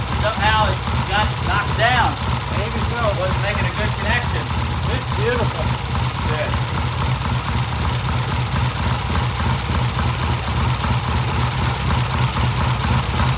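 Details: 1967 Triumph vintage twin idling after ignition timing set to 38° at 4,000 rpm: steady, even deep idle beat, no misses or knocks; good idle and rev, healthy.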